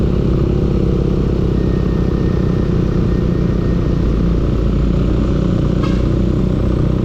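A loud, constant engine clatter runs throughout with a fast rough knocking under it; the cause isn't clear from the sound. Cause suspected, not confirmed.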